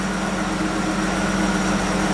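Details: 1987 BMW 325 first cold start after new fuel filter, new fuel line and reinstalled pump; fired after cranking to refill the empty filter and pump. Steady even hum, low smooth drone, no knocks or misses, settling into normal idle.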